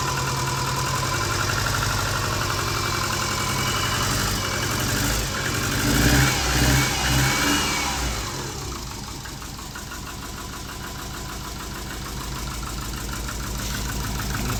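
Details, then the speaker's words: Subaru Forester with big turbo and new stage 2 cams, run on engine stand outside: lumpy uneven idle at very low revs, settling lower; idle only about 600 rpm, far too low, target 1500+ rpm for cam break-in. "it was only like 600 which is way too low that's why it sounds so readily at the moment we wanted like 1500 plus"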